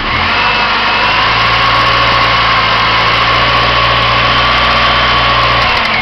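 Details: 1999 Pontiac Grand Am SE at warm idle has a steady drone with a faint irregular tapping knock. The noise is absent on cold start and only appears when warm, and goes away at higher rpm ("about 20rpm" as stated). The owner suspects the timing chain or a rod; the source is unclear.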